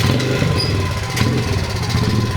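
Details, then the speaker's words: 2003 Honda XR50 pit bike, modified for adult use, sat outside for an unknown time: small single idles unevenly with a lumpy, surging beat, dies if throttle opened quickly; owner suspects a dirty carburetor. Rough idle, likely dirty carburetor. "so if you look here if I'm really gentle with the throttle it'll rev up but if I just open it the engine gives up I can think of a couple possible problems that would cause these symptoms the carburetor might be dirty"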